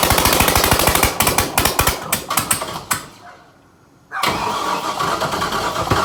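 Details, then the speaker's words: LS-swapped Scion FR-S (FRS) first startup after cranking to prime oil: even cranking beats near three a second, a short pause, then it catches and roars into a loud open-exhaust run without headers; owner suspects a faulty throttle position sensor as idle climbs. "I did it it's so loud dude oh my god do you think I can piss the neighbors off one more time"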